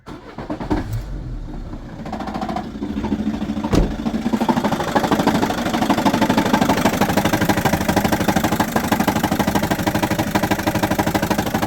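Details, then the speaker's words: Peugeot Expert 2.0 HDi diesel van at idle: a steady, fast knock of about three beats a second. It goes smooth and quiet when revved and returns when the engine drops back down. "like that and then when I rev it goes away it's like smooth and quiet and then when it goes back down to clutch changes"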